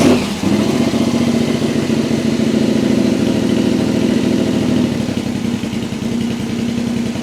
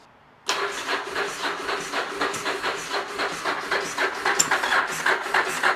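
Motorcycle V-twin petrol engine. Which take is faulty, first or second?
second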